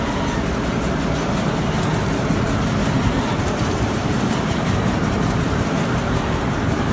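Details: Petkus K527 seed cleaner after a major overhaul, running normally: a steady, even rumble with a smooth continuous shaking rhythm and no knocks or squeals.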